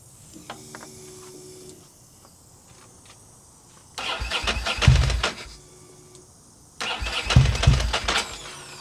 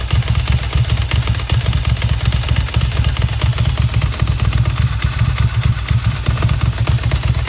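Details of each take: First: Ducati Monster 900 with a fuel problem, after its injectors were tested and cleaned. With the choke fully on and fuel pressure holding, two bursts of uneven cranking occur without the engine catching. Cranking, slow to start. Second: Ducati Monster 900 after its fuel problem was fixed by cleaning the injectors, full choke, fuel pressure holding: lumpy, loping twin idle firing steadily with evenly spaced pulses and no misfire; normal running.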